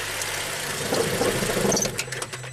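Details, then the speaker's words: 2008 Suzuki XL7 (GM 3.6L V6), which runs poorly warm, at idle with the bank 2 exhaust cam solenoid grounded: the idle stumbles and rattles, then dies within about two seconds; bank 2 exhaust cam suspected out of time, unlike bank 1. "Stalled out. Okay, interesting. Remember on bank 1 exhaust we did not stall out. That's a clue. So my suspicion is here on bank 2 that exhaust cam is out of time because phasing it to its limit actually made the engine stall out completely versus bank 1, which made it stumble, but it still kept running."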